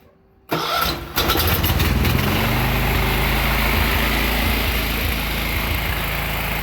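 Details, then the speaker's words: John Deere 216 lawn tractor engine after draining water and rust from tank and carburetor; cranks, catches and runs slightly rough with an uneven hunting beat, still some water and debris in the fuel. "It's going to run a little bit rough. Still a little bit of water in the gap. Had some debris in there."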